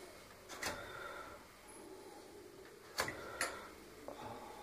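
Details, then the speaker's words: Whirlpool FXTM6 oven after repair of error F-01 (bottom element not working), fixed by soldering two broken control-board traces. Quiet hiss with sharp, irregular clicks as the top and bottom elements switch normally. "Не знаю, слышно ли или нет, но шипит. Видите, шипит здесь, шипит сверху. Оба тена работают, переключение происходит."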